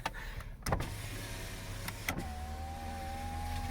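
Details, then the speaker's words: 2009 Chevrolet Impala, rebuilt from salvage, driver's power window going down: smooth, even motor whir at steady pitch that stops cleanly; window motor working normally. "Runs great. All the windows work. The drinker window goes down."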